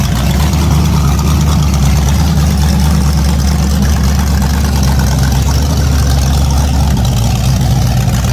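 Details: An 010 350 Chev small-block V8, carbureted, idling on an engine stand for an HQ sedan rebuild. Deep, steady, even rumble with no misses, knocks or ticks; normal idle.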